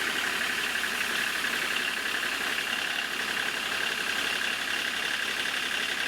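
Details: Kubota D1105 three-cylinder diesel swapped into a 1994 Geo Metro, idling after lift pump fix; steady, even diesel clatter with no stumbles or knocks; normal diesel idle.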